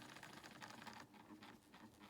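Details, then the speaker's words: Old Lima Class 37 model locomotive motor at a crawl, power raised slowly in both directions; faint whirring buzz surging unevenly, slightly better in one direction, buzzing more with more power: jerky low-speed running, cause unconfirmed. "so it is a bit jumpy but it's an old model so yeah and we'll try it in the other direction okay that's pretty much the same that's actually better in that direction"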